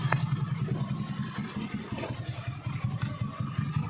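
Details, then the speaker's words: Honda Beat carburetted scooter: low, uneven clattering rattle from the CVT, pulsing two to three times a second under the engine note; from a worn rear pulley shaft. "nah seperti itu ya teman-teman pada kondisi motor Beat ini pada bagian CVT nya dia terjadi atau terdengar truk atau ngeresek"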